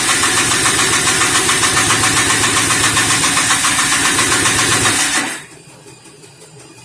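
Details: 1988 Polaris Trail Boss 250 R/ES two-stroke, quick cold start after long storage on gas with added 2-stroke oil: fast, busy idle with a crackly top end, running steadily a few seconds then cut; carb rebuild still planned.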